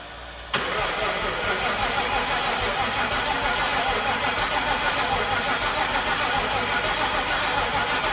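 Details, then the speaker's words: 2004 (or 2003) Mustang Mach 1, twin turbo with a possibly built MMR engine, on a borrowed battery: the starter churns steadily for several seconds without catching. The gas gauge was super low and fuel pressure only about 20; it is likely out of gas. "I'm wondering if it's out of fuel the gas gauge is super low and uh sounds like no fuel we'll check the pressure quick"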